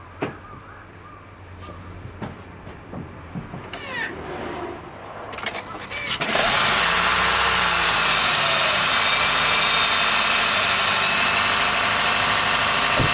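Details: 2013 Honda Fit Hybrid L Package (DAA-GP5); below about 10°C, starts after a few clicks and a thin high squeal with scratchy creaking rides over idle, gone after driving a while; dealer saw no warnings, source unconfirmed; cold-start squeal.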